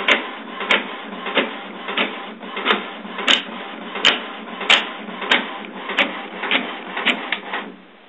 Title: HP printer makes strange noises...